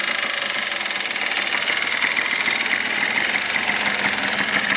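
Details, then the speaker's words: Yamaha Blaster 200 two-stroke after rebuild with new carbon reeds, stock exhaust, no airbox: quick, even crackling idle, steady beat, no misses or knocks; quiet and healthy. "light. Dude, it's quiet with the stock exhaust. It kind of makes me want to keep it, but at the same time it sounds nice with"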